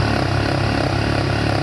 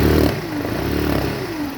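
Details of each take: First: 2017 Yamaha Factor 150 motorcycle engine idling with steady even low putter, no knocking or grinding; previously had burnt stator and broken bearing causing turbine-like noise. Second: 2017 Yamaha Factor 150 motorcycle engine running: wavering turbine-like whine over a low rumble from a burnt stator, with a broken bearing in the engine; stator was later replaced.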